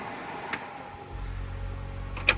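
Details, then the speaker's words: 1965 Ford F100 with LS engine, newly wired interior AC blower, compressor pressure-switch wire not yet connected: a click then a steady low whir with even airflow, no rattle or squeal; normal blower operation. "we went ahead and got the AC stuff on the inside all wired up so now we've got that blowing sure you can hear"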